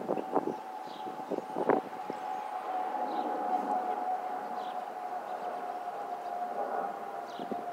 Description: Here's a little throwback of 2019 that I got a video of the FOPP Whistling Sounds of the Delta Airlines a319 and a320